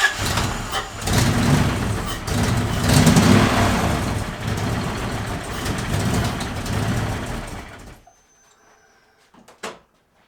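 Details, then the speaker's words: 1UZ V8 swapped into a 1989 Toyota pickup, first start after plugging in an unconnected coil: catches and runs with a steady, even beat on all cylinders for about eight seconds, then shuts off; normal running. "can't say that wasn't running yes oh man i am excited and after some fine tuning i finally got it so that it can idle and it'll rev up check it out"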